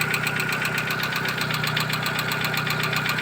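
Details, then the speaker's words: 2012 Chevrolet Cruze with 235,000 mileage, idling. Quick, even metallic ticking keeps time with engine speed, a top-end tick of unknown cause. Owner suspects hydraulic lifters or a piston with a worn skirt. Oil not changed for 10,000, and an oil change with flush is planned. "Всё стучит непонятно. Есть варианты, что это гидровики, есть варианты, что это поршень с отлотой юбкой."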